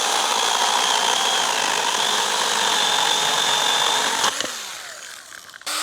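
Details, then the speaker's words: Stihl GTA 26 battery garden pruner mini chainsaw on a final cut through a larger branch, battery nearly depleted: high steady cutting whine holds, then sags and dies away after about four seconds as the battery runs flat. "Sounds like we're just about at the end. Trying to get that final cut."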